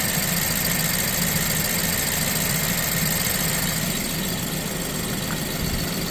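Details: BMW E87 120i petrol engine with serious engine issues idles unevenly, its low throb stumbling irregularly, as from a misfire.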